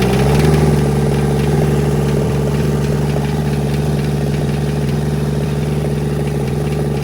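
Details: Kubota L285 four-cylinder diesel tractor, first start after 8+ years sitting, after bleeding air from the injectors: steady even chug around 200 beats a minute with no knocks or misses; healthy settled idle.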